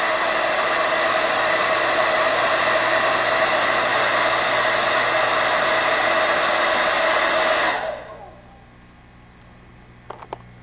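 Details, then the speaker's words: Standard Conair bladed-rotor hair dryer: steady high-pitched airy whine with a sharp tone near the top, even throughout, then switches off and spins down; normal dryer. "So the combination of the lower frequency and also the just decrease in overall sound levels, it's a much more pleasant sound that it emits."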